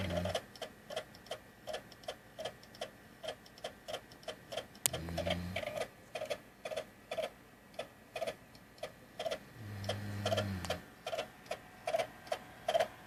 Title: Clicking Sound; Xbox Video Screen